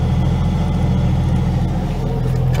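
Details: 1995 Jeep Cherokee at steady idle, heard faintly from under the dashboard: a faint whirring drone over the engine note; mechanic suspects worn alternator bearings.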